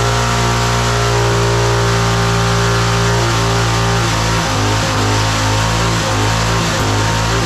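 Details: Roadside-found lawn mower engine for the Tommy Gun mini bike (may need a different carburetor): steady, even drone at fast idle, no misses or knocks; running cleanly.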